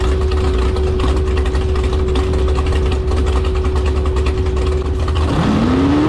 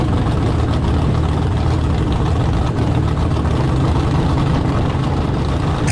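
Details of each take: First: Carbon fiber jet boat with rebuilt 632ci big-block Chevy at high revs, just over 5,000 rpm: engine holds one flat pitch without climbing further, then drops and recovers; appears stuck on the rev limiter. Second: Carbon-fiber jet boat with a rebuilt 632 ci big-block Chevy, running without a launch profile: a loud, steady full-throttle roar without stumbling, cutting out or bouncing off a limiter. Running strong.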